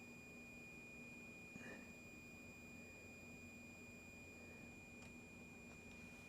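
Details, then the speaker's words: LED ceiling fixture whose driver delays turn-on after sitting off for hours: a thin, steady high-pitched whine from the driver, powered but not lighting; inside, a baked-looking resistor and an electrolytic capacitor being checked. "it's not starting and just here like a wine right here is electrolytic"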